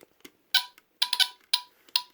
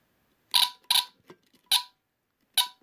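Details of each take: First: Vintage mid-1970s Norelco Smokey HB-0933A smoke detector with Delta-Larm squealer horn, powered by a used battery taken from a Honeywell TC89B: short, sharp high-pitched chirps in quick irregular bursts over silence, a low-battery warning chirp on connection. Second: Vintage mid-1970s Norelco Smokey HB-0933A smoke detector with Delta-Larm squealer horn, tested after reconnecting the battery: a few short chirps, then a loud continuous high shrill test tone of about three seconds, seemingly louder than before; alarm sounds normal.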